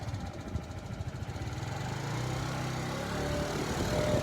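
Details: 2012 or 2013 TaoTao 50cc scooter, 410 miles: steady even putter at idle, picks up slightly and smooths out; healthy, though carburetor may still need adjustment.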